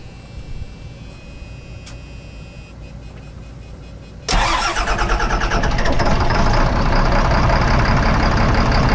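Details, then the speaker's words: 2005 Fleetwood Discovery, Freightliner chassis, Cat C7 diesel with low power, before repair: starter whirs, then a slightly uneven stumbling idle; cylinders 5 and 6 misfire from bad injectors, and unplugging them makes no rpm change. "no difference in the engine rpm you could hear the good all right we were gonna go ahead and shut it off so there you have it number five and six not working"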